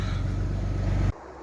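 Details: Alfa Romeo 156 GTA after a radiator repair, running after startup; the lambda sensor fault did not come back and there is no warning light. A deep, steady engine note with an even beat and no knocks or misses; it sounds healthy.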